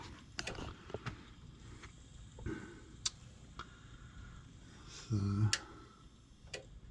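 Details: Gas furnace with intermittent heating, restarted so the ignition sequence runs again. Sharp dry clicks over a few seconds as the draft motor starts, with a short hum; normal control board relay operation, followed by only a small flame.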